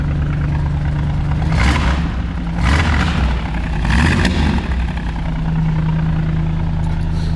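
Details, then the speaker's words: V8 Ford Transit van idling after alternator fix and refuelling with 99 octane fuel: deep, steady burble, smooth and even with a few brief swells and pops; running slightly rich, ticking over nicely. "So as you can probably hear, that is ticking over really nicely now, and I think it was the fuel."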